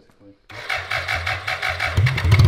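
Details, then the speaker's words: 1985 BMW K100 1000cc fuel-injected, liquid-cooled motorcycle engine, reassembled after sitting 15 years, on brake clean/starting fluid: after a pause it catches in quick uneven chuffs, about four a second, builds briefly but never settles to idle; low fuel, possibly bad pump. "Yes. That's crazy, dude. This thing was sitting 15 years. Yeah, well, we still gotta put some fuel in it."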